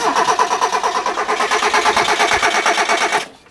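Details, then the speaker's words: Automatic Hyundai with a swapped throttle position sensor and the air intake hose refitted. The starter spins the engine evenly for about three seconds with no firing, though it ran yesterday after months of hard starting. The owner wonders if the fuel pump is running. "Is the fuel pump running? Maybe it needs my... You know, it's not even kicking over. Yesterday it was going like it always does. Now it's not doing a thing."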